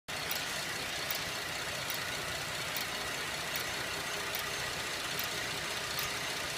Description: 2011 Buick LaCrosse cxl is making a slow ticking/clicking noise. The noise seems to be slower than the engine but will speed up on accelerating. I have listened to it with a stethoscope and it has a metal sound.